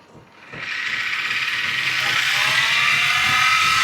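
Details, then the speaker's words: Wood lathe turning Amboyna burl between centers; motor winds up with rising whine and steady ticking rattle three to four times a second; owner says bearings need changing. "And you'll hear the noise. I do need to change my bearings, but we'll be back with a sharp tool."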